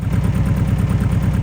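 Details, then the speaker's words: Eagle SS 1980s kit car with an air-cooled, Beetle-like engine, first start after long neglect, held on light throttle: a steady, slightly lumpy beat and quite smoky. It dies as soon as the throttle is released and will not idle. "But as soon as you let off the accelerator, it would die. It had absolutely no desire to idle, and she was quite smoky, but she wasn't on fire, which is good."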